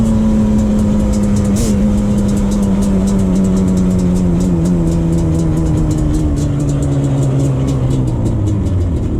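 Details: 2001 Yamaha Banshee 350 twin two-stroke on a POV test ride after new clamps fixed an exhaust leak: crisp note winding down smoothly from high revs, clean and even with no puffing. Normal running, healthy exhaust.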